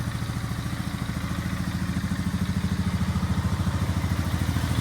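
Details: 2002 Polaris Sportsman 500 (425 converted to 500), rebuilt motor, new stator, CDI, fuel pump and fuel lines, carb adjusted, first start-up: steady even single-cylinder thumping idle with no misses; runs cleanly.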